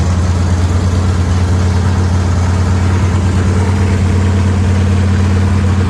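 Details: Factory stock race car engine with the transmission out, floating on its front motor mounts, after fitting the right flywheel, which reduced vibration: deep, steady idle drone with no knocks, misses or surging. It sounds healthy.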